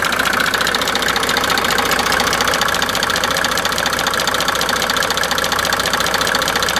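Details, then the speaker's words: Mercedes OM603 diesel, warm engine idling after oil, filter and fuel prefilter/main filter changes, no known history: crisp tick-knock repeating steadily about 1.5 per second under the diesel clatter, recorded before diagnosis; noise seemed different cold versus hot; source not yet found. "and that was simply just recording of That Knocking before any diag NOS this and a repair will start"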